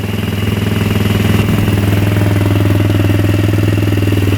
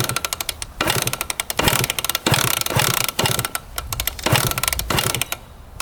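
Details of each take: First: Fuel-injected Polaris Sportsman 110 that won't move in gear although the chain turns: steady, even single-cylinder idle with smooth low thump and no knocks or misses; engine running healthy. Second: 1999 Suzuki RM125 two-stroke with Pro Circuit pipe, sold as a non-runner, kicked with fuel on and choke set: repeated ratcheting kickstart strokes with no resistance or compression puffs and no firing; low compression from a damaged piston and cylinder sleeve.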